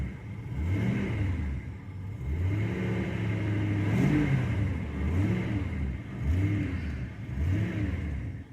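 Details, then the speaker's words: 2002 Ford Crown Victoria 4.6L V8, 103K miles, intermittent cold-start issue: the cold engine is blipped gently a few times and revs sag heavily as the throttle closes. It bogs and stalls when the throttle is released; the idle air control valve is suspected. "see minute i let go of the gas it starts to bog and then it shuts off"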